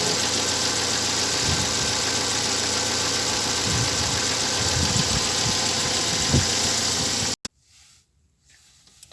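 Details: Engine with error P0507 (high idle, check light on), after slackening the throttle-plate stop bolt so idle dropped slightly: steady, even idle with a lot of hiss on top, no hunting or surging, then cuts off; idle sounds settled.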